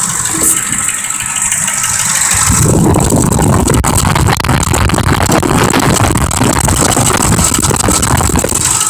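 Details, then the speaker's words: 2005 Ford Expedition 5.4L Triton V8 with a failing forward clutch: fast, uneven clatter about four a second from the valve cover. Bad cam phaser or lifter suspected, and possibly not firing on all cylinders. "wagon noise coming out of the valve cover here and we all know what that is from watching these previous videos that are going to be a bad cam feasor or a lifter inside of"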